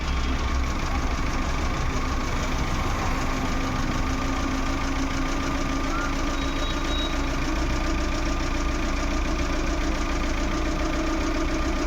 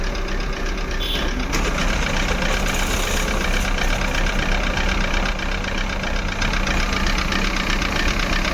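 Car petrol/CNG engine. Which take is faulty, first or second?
second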